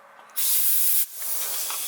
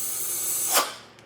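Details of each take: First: DIY boost leak test, shop air fed into a port on the turbo: steady high airy hiss from the feed line only, no extra whistle elsewhere; intake is well sealed, no boost leaks. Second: Vacuum leak test with the intake covered so the engine pulls vacuum: a short, sharp hiss rising and fading from a small vacuum port on the wastegate bleeding vacuum. With clamps tightened, the rest of the system seals.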